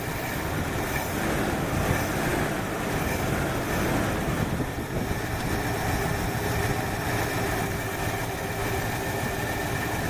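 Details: 1968 Ford Fairlane V8 with a flooding carburettor and a wrongly plumbed choke heat line: rough, uneven, lumpy low idle with no clean rhythm; running rich from the flooding carburettor.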